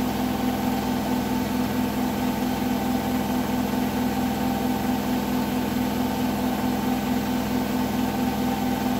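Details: Hotpoint washing machine on final 1400 rpm spin: steady high-speed drone with a faint uneven knocking pulse, about one and a half per second.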